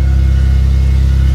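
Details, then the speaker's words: Vauxhall Vectra B GSi after fuel tank install with fresh petrol, out of gear: steady, even low rumble with no misses, knocks or hunting; idles smoothly, running better on fresh fuel. "And there she is, running like a dream. And running a lot better now that it's got fresh fuel"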